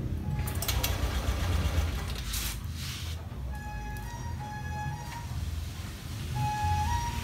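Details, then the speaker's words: Fuel-injected motorcycle after cleaning the fuel pump and fuel filter: low, steady idle with an even beat, no stumbling or dips; much smoother than before, when it ran unevenly and stuttered. "Putarannya halus sekali, tidak seperti sebelumnya. Sebelumnya kurang stabil seperti dedet-dedet gitu."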